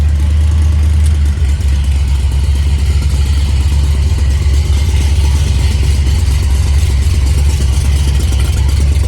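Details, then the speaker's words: Fox-body Mustang, headers with slip joints: loud, uneven chuffing rumble at idle and under revs, rough and open like a leak near the ports; exhaust leaking at the headers, slip joints to be pulled and cleaned. "I just ain't believing that the headers went to leaking that bad"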